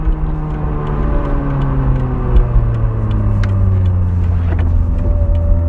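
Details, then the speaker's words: 1989 Toyota MR2 Supercharged driven through the gears, with a K&N-style filter relocated to the engine bay, no catalytic converter, and a MagnaFlow exhaust: a tone climbing and falling with revs over a deep rumble. Loud supercharger whine. "yeah, the whine's pretty loud, so you can hear it. Makes a lot of noise."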